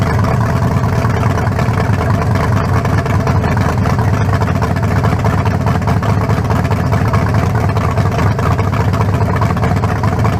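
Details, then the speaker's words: Freshly built 0.040-over 350 (356) V8 with lower-compression forged pistons and a new converter, in the 1974 Nova, first start without the turbos fitted; a deep, even, lumpy idle with no knocks, judged better than the previous 388; normal idle. "yeah much better i say we got it it ain't got no down no double no almost better than the 388"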